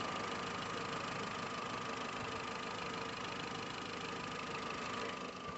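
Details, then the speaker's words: VW Gol 1.6 EA111 at idle after refitting the timing belt: quiet, steady idle with a faint even hum, the earlier noise gone. "E aí galera, só pra finalizar aqui, ó. Agora só ficou o barulhinho do motor mesmo. Acabou aquele barulho, ó. Só o barulhinho do motor."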